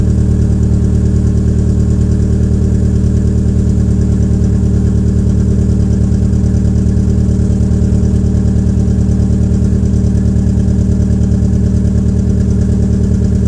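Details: Peugeot 807 SR 2.0 2004, EW10J4 RFN petrol engine, cold start with rear silencer removed: loud, uneven lumpy idle pulsing about three times a second; owner attributes it to tight valve lifters, unconfirmed.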